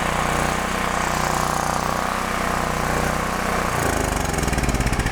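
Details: DuroMax Tri-Fuel XP13000HXT generator after realigning the fuel selector micro switch: engine catches and settles into steady, even chug with no misses or hunting; normal running.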